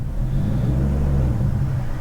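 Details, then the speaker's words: BMW E39 540i 4.4 V8 surging at low rpm with foot barely on the gas: deep rumble swelling and hunting instead of a steady idle; throttle position wanders, running smooths once throttle exceeds about 2.35 percent. "my foot is very very slightly on the gas but this is what my BMW 540i is doing to me and"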